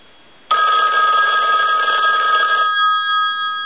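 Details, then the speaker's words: Red AT&T rotary dial 500 desk telephone rung on the bench during checkout: clear, steady electromechanical bell ring for about two seconds, then ringing off; bell and ringer working properly. "So now what we can do, since we know that these telephones are ringing in on a ring cycle, they're dialing out, they have transmit and receive, we can go back over to the yellow unit and we can push this button on the switch box."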